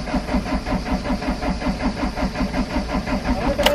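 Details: Camper-van diesel on a Greek expressway, engine hot at 36°C ambient, cranks with a steady starter churn at about two and a half turns per second and even compression pulses but never catches. Fuel priming fails with too much diesel stuck; cause unconfirmed.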